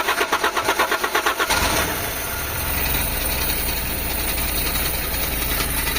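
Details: Carbureted Toyota HiAce van with hard starting in the cold morning, first start after carburetor cleaning. About 1.5 s of rhythmic cranking, then the engine catches into a rough, untuned idle; carb still needs tuning.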